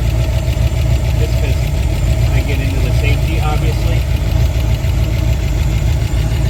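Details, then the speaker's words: 1962 Ford Falcon engine at idle, warming up after start-up during inspection; light quick ticking over a low rumble, valve train noise, probably needs a rocker (valve) adjustment; otherwise runs good. "You hear a little valve train noise? Probably need the rocker adjustment."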